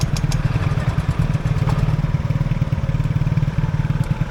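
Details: Motorcycle after stalling in floodwater, with water still being expelled and the engine dying repeatedly during restart attempts. Uneven, lumpy low putter with irregular beats and stumbles, on the verge of stalling: rough running.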